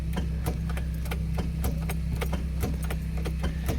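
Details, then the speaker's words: Ford Escort MK3 GLE cranking after the timing was readjusted, with a weak battery: a low steady drone with irregular sharp ticks around three or four a second, a slow laboured crank. The owner blames a worn starter motor rather than the battery. "I know the battery is semi junk, but this is not the battery. This is actually the starter. See there? it cranks a bit."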